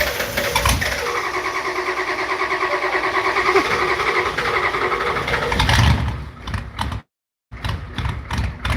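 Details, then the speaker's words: Old IDI diesel, cold start after glow-plug warm-up: rough, uneven chugging settling toward idle before cutting off; typical IDI cold start, nothing wrong. "Yep. Typical IDI. See? Told you this thing chugs."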